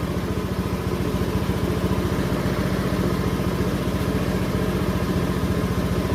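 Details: Honda Scoopy scooter with ESP engine, warmed to normal operating temperature, idle spec about 1,600–1,700 rpm: even putt-putt at roughly three to four beats a second, steady and unhurried; healthy warm idle.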